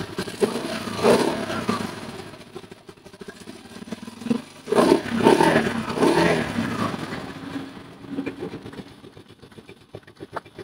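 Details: Rusi motorcycle one week after overhaul, leaking air at the gasket and seeming about to stall: uneven, stumbling revs with light clatter over the engine; rough running from unevenly torqued head bolts and too-tight valve clearance.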